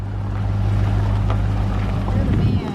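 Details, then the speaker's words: Test drive up and down the driveway after replacing a U-joint: low even drive hum with wind, no clunks or squeaks from driveshaft; earlier noise gone, confirming the U-joint was the cause. "that's gone I don't hear it would have made that noise already so it was a u-joint"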